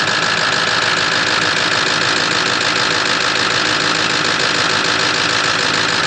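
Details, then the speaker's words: 2006 Ford F-550 6.0L Powerstroke diesel at idle after new fuel pump and blue spring kit in regulator (damaged O-ring had held pressure at 45 psi or less), now 65 psi: loud, steady, even diesel clatter, no hunting; idling healthy. "So anyway, it sounds good now. Listen to that."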